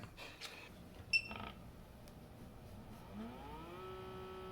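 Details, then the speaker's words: Cutter grinder spindle (Morse taper 2) belt-driven by a 125 W brushless motor via 3D-printed gear, after fixing a loose set screw and skipping belt: clicks, then smooth rising whine settling steady; normal running, though torque seems insufficient. "That's what it should sound like. This is actually what I wanted it to sound like."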